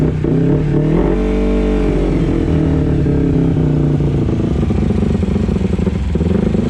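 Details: 2011 Kawasaki Ninja 250 with cleaned and adjusted carburetors, not fully warmed up: revs blip up, then sag back slowly and hang above idle after the throttle closes; hanging revs, slow return to idle.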